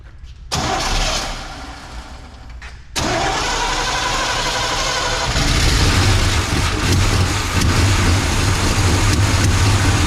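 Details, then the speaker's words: 1984 Chevy C20 3/4-ton 2WD truck, revived after years in storage, with headers, exhaust, belts and radiator hose just installed: about 2.5 seconds of cranking, a clean catch, then a smooth idle that rises slightly. Starts and runs healthily. "It's alive."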